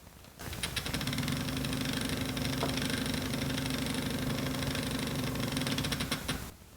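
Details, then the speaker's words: Moonlite focuser stepper motor driven by Pegasus UPB v2 via custom RJ45-to-DB9 cable, 500-step move: rough gritty grinding with rapid ticking about three a second; mismatched control signals between the two devices. "did you hear that grinding kind of a little cement mixer motion going on"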